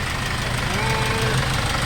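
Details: Hyundai Starex D4CB diesel, replacement engine fitted for blow-by, running over an hour and hot at normal temperature, no leaks: steady even idle clatter with constant low drone, no extra knocks or wandering; healthy warm idle.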